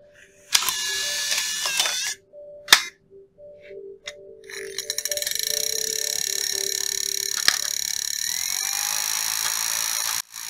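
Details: Second Nintendo Wii bought with a disc read error: the disc spins up with a raspy, high-pitched scraping whir and clicks, then an error occurs.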